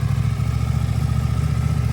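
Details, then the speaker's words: New stock 2024 CFMOTO 800NK (100 hp) just after its first start from the crate: deep, steady engine drone holding an even beat with no knocks, rattles or misfires. Better-sounding than usual stock bikes. Normal running. "Sounds good. That sounds awesome. Yeah. The stock bike usually don't sound that good. Yeah, that sounds great."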